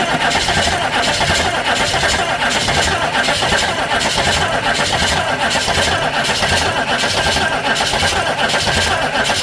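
A steady starter churn with even compression pulses, a bit over one per second, that never fires or picks up speed: cranks but won't start.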